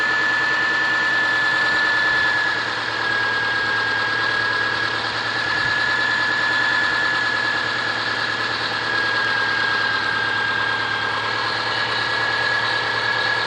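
Steady idle with a fairly quick, somewhat uneven tapping riding over the engine note; a knock at idle, cause not pinned down.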